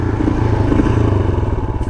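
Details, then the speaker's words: 1982 Honda XL500R single, hot start after holding decompression lever and kicking about 15 times, then finding top dead center: catches and settles into an even, steady thump with no knocks or misses; healthy hot start. "good kick there you go there's your hot start procedure right there"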